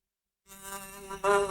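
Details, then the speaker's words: 16-year-old Dell Studio 17 laptop from 2008, stored for years: music through the speakers sounds thin, buzzy and crackling, the right speaker distorting and the other barely working. "can you hear the crackling looks like someone's earbuds when they take them out and crank the Volume Up full that's how it sounds"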